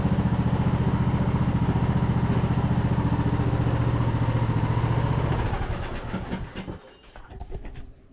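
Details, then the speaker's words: Craftsman YT3000 riding mower (Husqvarna-made), abandoned about 4–5 years and revived; forward and reverse drive test with brake released; steady, regular engine beat with no squeal, grinding or knocking from transmission or pulleys, then winds down; transmission working normally. "sweet well seems like transmission's working just like it's supposed to"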